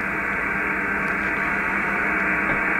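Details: HF ham radio receiver tuned near 474 kHz on medium wave: steady hiss with constant buzz masking signals; interference traced to the internet provider's equipment, then eliminated.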